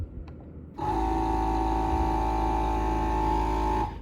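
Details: 2024 Can-Am Spyder F3L, air suspension (ACS) pump run manually as a test: small pump hums at a steady mid-pitched drone for about three seconds, then stops cleanly. Compressor working normally.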